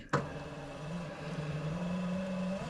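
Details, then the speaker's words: Simplicity Regent S deck-lift motor bench-tested with direct power, polarity reversed, at slightly under 12 V so a bit weak: a clunk, then a steady, slightly rising hum for two seconds before stopping. Motor good; the faulty switch gets replaced. "Now our motor's going the other way. We know that this motor is working correctly because we've just given it direct power. Now that's not quite 12 volts, so it's kind of acting weak"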